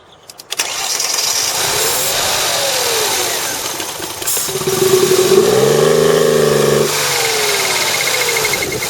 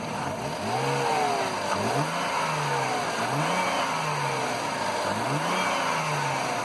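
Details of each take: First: 2003 Mercedes CLK running rough, after start: brief crank, catches, revs rise and fall with a strained, choked edge; collapsed catalytic converter on one bank restricting the exhaust. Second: 2003 Mercedes CLK with rough running, apparently traced to a bad earth connection: engine blips up cleanly several times and drops back each time, revs rising and falling smoothly with no stumble or rough patches.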